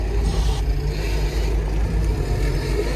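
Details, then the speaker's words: Doosan DX225LC-7 excavator working, heard after a squeak was chased with slew ring play checks (about 0.9 mm): steady low diesel rumble, no squeak or creak from the boom; squeak has gone, normal operation. "The squeak has gone."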